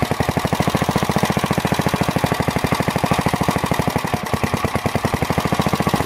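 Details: Planet Jr. Model B walk-behind tractor, first start after cleaning the carburetor, draining old gas, adding crankcase oil, belt off: single cylinder thumps fast, slightly uneven and hunting. No smoke; unsteady idle, carburetor out of adjustment.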